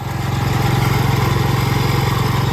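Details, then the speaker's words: Cub Cadet 122 that sat for years, running after a new coil and carburetor with only the idle set: steady, even single-cylinder thumping with no misses or knocks; smokes a little from exhaust and possibly the starter-generator belt; runs really good. "This thing's been sitting I don't know how many years. I just have the idle fixed on the carburetor, but it runs really good."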